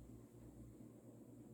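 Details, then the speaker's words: Vintage, probably early-mid 1980s Union Ngok Kee 36" 'Super-36' spinner ceiling fan, model 4CLW-3SPC, on high in reverse: low steady hum, no knocking or rubbing; light kit wobbles a little more but fan seems balanced, running normally. "the light kit's wobbling a little more but i think the fan is still in balance"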